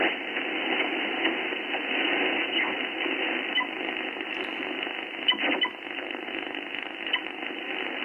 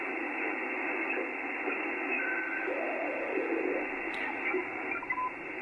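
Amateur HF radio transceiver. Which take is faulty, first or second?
first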